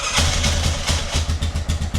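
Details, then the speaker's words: Possibly 1998–2001 Yamaha Grizzly 600 4x4 ATV, first start after refuelling for a test drive: harsh loud whirring starter crank with low chugging pulses about four per second; abnormal starter cranking noise, cause unclear. "That starter is crazy sounding."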